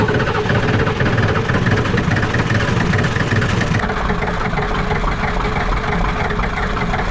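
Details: Ford 7.3 IDI diesel revived, running at normal idle after restart with glow plugs and suspected air in the fuel system: steady, slightly uneven diesel clatter with a deep low rumble, settling normally.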